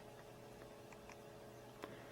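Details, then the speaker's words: Power Macintosh 6500/275 old Quantum Fireball hard disk after long storage: heads faintly tick, repeatedly resetting to track zero over low hum, platters not spinning, beeping seek test repeating; spindle motor failed, won't boot. "I'm hearing heads moving on the disc but it keeps resetting to track zero and the disc the physical disc is not spinning"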